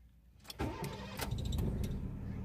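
Short crank, catches within half a second and settles into a smooth, even idle; a clean, healthy start.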